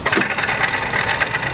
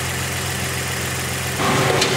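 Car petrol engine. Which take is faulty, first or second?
first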